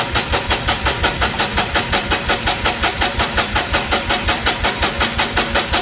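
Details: Perkins D3.152 diesel in a 1984 Lincoln SA250 welder, freshly rebuilt, first crank after install, injection pump off so no fuel, cranking to build oil pressure; steady even cranking about three beats a second, no firing — normal cranking, oil pressure reached.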